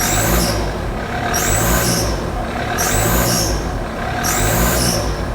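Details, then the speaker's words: Diesel warming up after an oil-related problem, still smoking heavily: revved repeatedly about every second and a half, revving freely, each rev bringing a high hissing squeak from a boost leak, with more smoke on revs. "When you rev it, it smokes more, and we have got a boost leak, you can hear it squeak."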